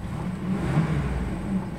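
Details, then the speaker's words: 1999 GMC Safari cargo van with its factory exhaust at idle: a low, even, quiet and smooth engine hum with no knocks, ticks or whine standing out. A normal, healthy idle. "Don't sound too bad. It still has a factory exhaust on it."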